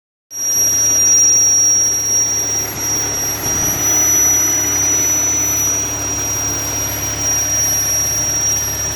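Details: 2013 Audi S4 B8.5 with ported supercharger: constant piercing high whistle above a quiet idle, pitch unchanging, started after blower porting; vacuum or boost leak suspected.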